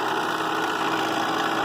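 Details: Vintage Bell & Howell 8mm projector found at a yard sale, awaiting repair: constant mechanical whirring clatter at a steady speed, busier and noisier than it should be, pointing to a rough-running drive mechanism.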